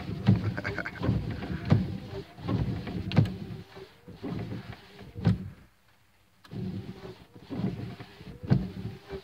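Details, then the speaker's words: 1980s Jeep after redoing engine vacuum lines and freeing a tube that had jammed the wipers: low soft thumps about forty a minute as wipers sweep freely with no binding; wipers working normally. "okay let's try the wipers now I had that that freaking tube was jammed up on the wipers"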